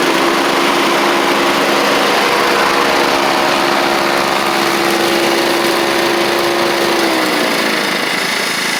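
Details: Toro Proline walk-behind mower with Kohler Command engine, after new blade: small single-cylinder buzzes at steady high idle, even tone with no misses or sputter, then eases slightly; runs properly.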